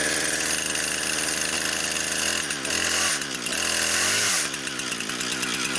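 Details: Brand-new Husqvarna 460 Rancher chainsaw, first run ever on freshly mixed fuel: crisp two-stroke howl that climbs and drops cleanly as the throttle is blipped, no bogging or stutter; healthy normal running.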